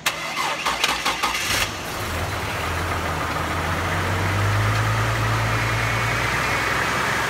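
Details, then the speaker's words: Chevy Trailblazer just after steering rack swap: engine cranks and catches, then idles with a faint steady high power steering whine from air in the system, before bleeding by turning the wheel lock to lock. "they could hear that power-steering whine quite a bit when it first started we should be able to pop this cap and see some air bubbles"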